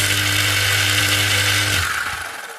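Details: Repaired submersible pump that had shorted out, tested after repair with no load: steady electric motor hum with a low mains-type buzz, running smoothly, then switched off and spinning down; healthy pump motor.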